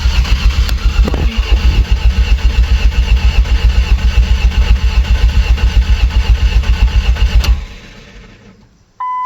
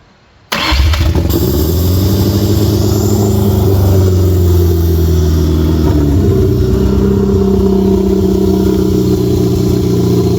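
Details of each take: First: Ford Ranger with a junkyard 2.3L engine, said to have about 80,000 miles and exposed to flood water, first cranking after install: fast, strong, even cranking pulses for about seven seconds, with no oil pressure reading yet. Normal cranking. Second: Ford Ranger with junkyard 2.3L four-cylinder, flood-damaged, reportedly 80,000 miles, first starts after install: fires up and holds a fast, raised idle; crew says there's a vacuum leak somewhere.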